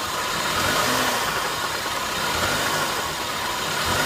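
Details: 2009 BMW E90 318i petrol, 140,000 km, otherwise driving normally: unclear knock from engine appearing when throttle is released after blipping, uneven rapid clatter roughly four a second; source unknown.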